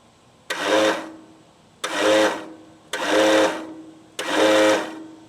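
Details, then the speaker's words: Craftsman L9 lawnmower, battery temporarily rigged: four short whirring bursts spinning freely with no cranking load, vibration felt so current arrives; starter not engaging flywheel, starter replacement likely needed. "The starter is turning, but for some reason or other, it's not engaging. I can feel vibration in it. So the current is getting there okay."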